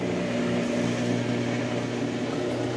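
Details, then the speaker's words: Brastemp Ative 11 kg washer after capacitor replacement, run on spin with the lid open: steady motor hum as the drum engages and runs up smoothly, with no grinding or knocking; normal spin. "agora engrenou ó agora engrenou tá vendo ó"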